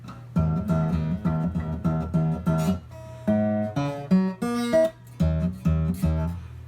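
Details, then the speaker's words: Old Korean-made guitar after fixing a headstock buzz caused by loose cheap tuners, which were stiffened with thin glue: strummed chords ring clean and even, with no rattle or buzz. "problem solved just like that"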